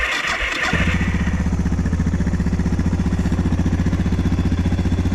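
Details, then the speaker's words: Suzuki DR650 cold start on choke after replacing the TM40 carb with a used carb and refitting the original tank with rebuilt petcock: brief crank, then even steady thump about three beats a second, no knock; previous noise gone, owner thinks TM40 caused a lean condition. "No noise whatsoever. So the TM40 for some reason was creating I think it was a lean condition."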